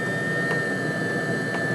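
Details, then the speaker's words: Webasto diesel heater on a homemade 555-based replacement controller, low setting after adding more fuel on low: steady even roar with faint high whistle, no surging or puffing; burning stably. "It's maintaining a stable bonus."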